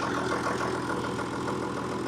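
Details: John Deere 6600 diesel tractor in for an injector leak fix idles steadily with a smooth low rumble, no misses, knocks or hunting; a leaking stack pipe at number one injector top is noted afterward.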